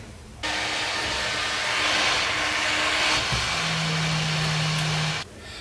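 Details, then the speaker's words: Corsair VS650 power supply fan (12 V 0.3 A) after oiling the axle, bench-powered from about 8 V to 12 V: steady airy whoosh, faint hum, no ticking or buzzing; silent even at low speeds. "no more crazy sound it's absolutely silent even at low speeds"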